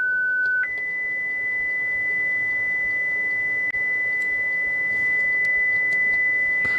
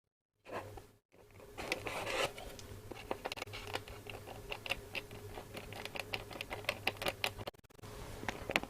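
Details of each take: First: Hacker RP25 Sovereign 2 radio speaker on the bench driven by a signal generator at about 1–2 kHz: a pure steady whistle jumping to a higher pitch, clean with no buzz or scratch; the speaker plays properly. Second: Hacker RP25 Sovereign 2 radio speaker, cone pushed by hand: dry scratchy scrapes and irregular ticks with each movement; rust has got into the centre/voice-coil gap and is rubbing.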